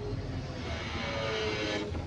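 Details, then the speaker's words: Cat 320DL excavator at idle, hydraulics operated: diesel bogs down with a deep labored rumble and strained hiss, engine almost shutting down because hydraulic pump flow is set too high, causing overload and low power; fix is pump flow adjustment. "the engine is almost shut down okay if anyone can hear that sound that's what will happen if the blow is too much okay"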